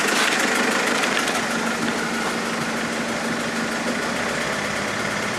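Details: Mercedes A170 diesel after changing 3 injectors: steady idle with a rough, fairly regular knock about three per second; engine knocking at idle, cause unclear.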